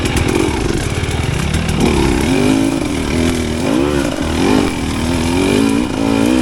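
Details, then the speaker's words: New 2025 Husqvarna TE300 two-stroke with TBI after ZTM ECU remap, climbing a steep, silty ravine at very low rpm: revs rise and fall smoothly without bogging or loading up, no need to clear it out; clean, healthy pull. "It does not spin when I don't want it to, and it just climbs out of this steep ravine without breaking traction in the really loose dirt."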